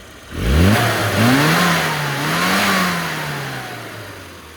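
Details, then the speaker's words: Classic Mini after fixing the carburettor piston jamming in the bell chamber: engine picks up cleanly from idle, pitch climbs smoothly, dips and rises, settles back; revs freely with no stumble. "I managed to uh modify the inside of the carb and and get that working. And now uh she's a lot better."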